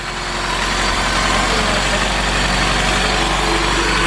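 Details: Honda Civic EP3 with freshly swapped stock K24 four-cylinder, first start on factory fuel pump: even, smooth idle with steady revs, no knocks, rattles or misfires; normal idle.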